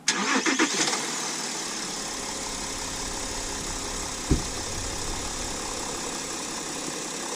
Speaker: That is the big torque diesel V6 in action. Give it a couple revs so you can hear that. Decent sounding engine for a diesel.